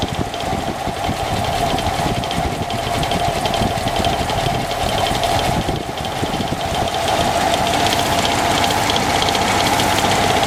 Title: engine noise